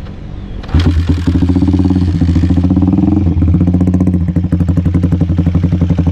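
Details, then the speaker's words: Honda TMX 155 single with pitch bike CDI: lumpy idle with a loud, fast tick riding each beat, about three per second; valve train ticking raised by the overly thin 00 head gasket. "Kung maririnig ninyo, malakas yung lagitik, naka 00 gasket kasi tayo."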